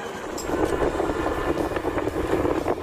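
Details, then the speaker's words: Honda Megapro mono motorcycle with vacuum carburetor, road test after fitting an imitation vacuum diaphragm to cure hesitant, bogging initial throttle pull: engine pulls smoothly and evenly with no stumbling or popping and responsive throttle. "Oke teman-teman untuk tarikannya sangat enak sekali ya gak ada nyendat atau brebetnya dan respon dari gnya juga sudah sangat enak sekali responnya"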